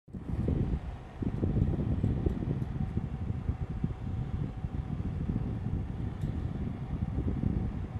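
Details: Rubine Pro Eco unit heard from downstairs outside, loud steady low rumble with a faint thin whine on top; abnormally noisy running, cause unclear.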